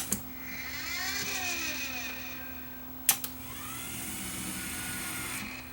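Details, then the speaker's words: Luxman KX100 cassette deck, motorized door mechanism powered after removing motor to check for a broken belt: small motor whirs with gliding pitch between sharp clicks as brass cam turns and switch stops and locks it; normal motorized panel operation. "so there's that cam brass cam when you turn it on and then the switch signals it to stop turning and it locks it there until you release the power"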